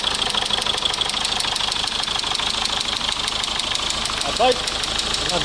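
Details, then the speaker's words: 2004 Mazda 6 2.0 MZR-CD diesel, original engine: diesel clatter with a sharp, fairly steady knock about three times a second, deeper than injector tick; cylinder 2 injector or compression suspected, valvetrain checked fine; engine was knocked out and replaced; oil-pressure sensor wire broken. "Уххухх. Бачиш? Зразу якось крутиш нема, а потом появляється."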